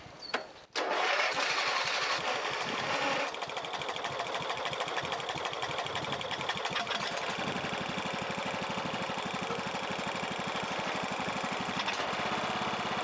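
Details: Old Husky lawn mower after carburetor cleaning and fresh gas, having sat with bad gas: after a couple of pulls it catches and settles into a steady, even putter with no misses; normal start and idle.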